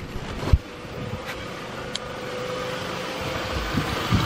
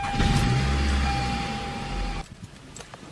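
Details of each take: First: 2004 Toyota Camry after replacing a starter that gave weak starts: quick start, then an even steady idle with no grinding or dragging; healthy. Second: 2004 Toyota Camry before starter replacement: labored cranking about three beats a second with a strained whir for two seconds. The weak starter still starts the engine every time, but slowly.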